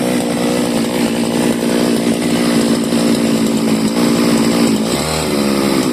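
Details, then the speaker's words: CG411 grass cutter two-stroke, which used to die when throttled, after the carburetor needle and seat were replaced: steady high-speed buzz, firing even with no stumble; running properly. "accelerator yan yan lakas na ng ikot So okay na to wala pala yung sira"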